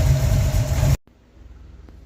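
Steady low idle rumble for about a second with no rattle over it, then the sound drops away; engine runs clean.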